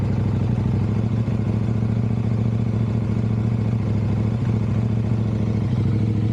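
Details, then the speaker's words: KTM 790/890 Adventure twin with intermittent hard starting, Red X fuel additive used: very low idle below about 500 RPM, lumpy with uneven chuff and stumbles, like one cylinder not firing; owner suspects spark plug, not confirmed. "Maybe I just figured the first time it ever idle that low, like below well 500 RPM. First time it ever done that. Normally it runs where it runs when I started."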